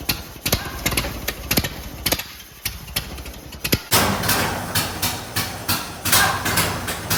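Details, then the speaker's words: 1928 Ford Model A 201 cid flathead inline-four, first run after 17-18 years stored, choke on, slight throttle, timing locked slightly advanced: slow loose chuffing beat with sharp exhaust pops, settling into a steady idle; running freely. "that's the first time i've ever heard this car run and my grandpa's had this thing my whole life"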